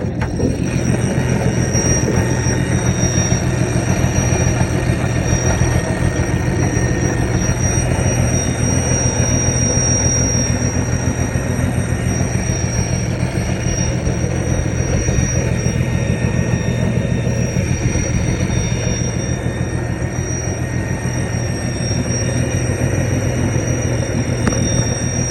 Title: 1982 Ford F150 300 Inline 6 Automatic. Oil leak pretty much cured. But listen to that vacuum leak…